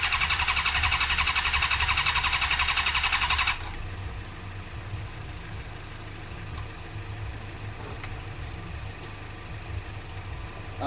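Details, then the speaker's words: Suzuki GSX-R cranking with brake cleaner as a combustible: fast, even cranking at about four strokes a second, compression sounds good, but it never fires; no spark, later fixed by fitting an original ignition unit with a built-in resistor. "changing sounds good for my compression point of view I feel like it's not sparking"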